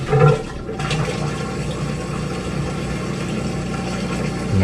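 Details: Maytag Bravos top-load washer, model MVWX655DW1, in diagnostic mode testing the drain pump: steady low hum under gushing, splashing water as it empties, the drain pump running normally and moving water freely.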